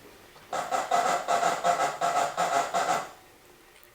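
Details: 2016 VW Golf GTI MK7 front end: rhythmic, high creaky squeak repeated about seven times in quick succession, from a worn front control arm bushing on one side; fix is replacing the whole control arm.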